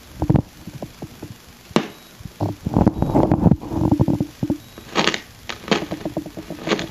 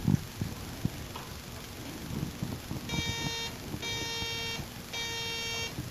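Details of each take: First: Electronic Measurements Corporation 802 signal tracer in noise-test mode, applying about 115 V DC across the part: irregular crackles and scratchy bursts as a slightly noisy potentiometer is turned, the sound of a dirty wiper. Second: Electronic Measurements Corporation 802 signal tracer and generator: three short bursts of a buzzy, reedy roughly 400 Hz non-sine audio tone from its neon lamp relaxation oscillator, working normally.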